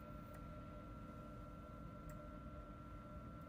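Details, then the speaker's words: Bio-Rad C1000 thermal cycler main PCB with PFC power supply, bought as a no-power unit, being powered on and drawing up to 40 W: faint, steady high-pitched whine over low hiss with soft ticks; abnormal whine from the power supply board. "Power this guy on all right so that seems like a fairly high it's up to 40 Watts oh look at that that is interesting and we're getting a very odd signal from the or sound I mean from the board can hear"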